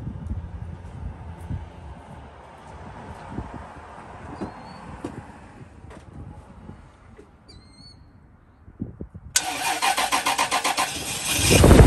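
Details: Car starter cranks briefly and petrol engine fires and catches cleanly outdoors, after a weak battery no-start was jump-started.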